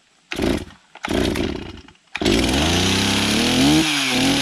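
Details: Stihl MS360 Pro chainsaw, once hard to start and running badly, after a $20 Chinese carb swap, adjustment and new spark plug. Totally cold, decompression pushed, on choke; two pulls, catches on the third and revs smoothly: normal running.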